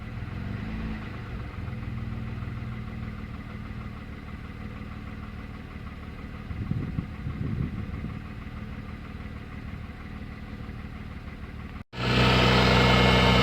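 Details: MG ZS 180 engine at steady idle with a light, regular tapping knock about three to four times per second, constant throughout: engine knock of unknown origin.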